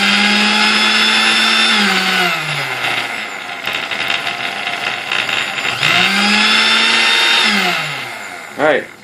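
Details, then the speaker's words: Sunbeam Mixmaster Model 12 test-run during reassembly, with no thrust washers on the armature: a loud, high buzzing whine that falls and rises in pitch with a rough, rattly edge; noisy from the missing thrust washers. "me see this I'm good I mean yet it is noisy because there's no wall there's no thrusts I'm in an armature and stuff"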